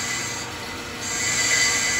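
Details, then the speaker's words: Accu-Turn 8922 brake lathe machining a worn brake rotor from a car's brake job, bits fed in manually and slowly to avoid burning them; thin steady high squeal swells as the bit digs into the uneven rotor with poor parallelism. "we might get to sound like we're cutting off a bunch here in a minute you hear that yeah okay because this thing is worn with a lot of parallelism"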